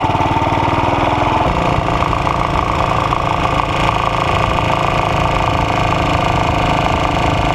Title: Ajs model 8 engine Knock